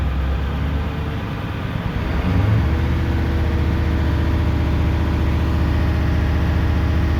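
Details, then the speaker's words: 1994 Ford 7.3L Powerstroke diesel pickup, sat 4–5 years, after fuel-pump repair, start after glow plug cycle with long crank expected to fill reservoir: rhythmic cranking catches at about two seconds, settles to a deep steady diesel rumble; normal start and idle. "Now we do expect this thing to crank a long time because of it needing to fill that reservoir and everything."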